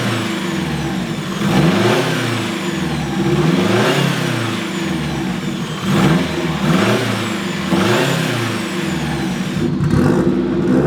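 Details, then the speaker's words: Turbo Mazda Miata, built 1.6L with new head gasket and unequal-length turbo manifold, warming to operating temp, gauges showing good voltage, air-fuel, coolant and boost: repeated rev blips with faint whistle above exhaust each rev; healthy turbo spool. "We got good battery voltage, good air fuel, RPM, coolant, good boost. Oh, you can definitely hear the turbo."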